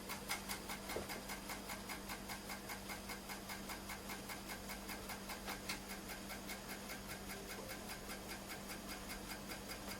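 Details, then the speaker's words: Amstrad PC1512 on first power-up with a substitute floppy drive connected by ribbon cable: regular light ticking about two and a half per second over a low hum as the head steps. It seems to try reading more than the previously tried drive, though booting is uncertain. "ah what does at least seem like it sounds like it's trying to read the desk more so than the one we've just tried i don't know it's actually going to actually boot from it but i did at least hear some um some head movement on that um on that time"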